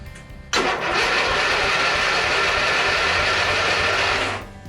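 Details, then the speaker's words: 1982 Long Life 36-inch lawn tractor, about 40 years old, long stored, dry tank, deck disengaged: strong, even cranking churn for about four seconds without binding or drag. Normal cranking. "That's the way it's supposed to sound. That sounds normal and right."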